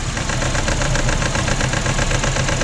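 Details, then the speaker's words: 2004 Honda Accord 2.4L petrol, no fault codes: rough, lumpy idle with one cylinder dropping out. The misfire followed the coil swapped from cylinder 3 to 4; the scope confirmed a shorted ignition coil. "we'll just start this up and we'll check if the misfire has followed"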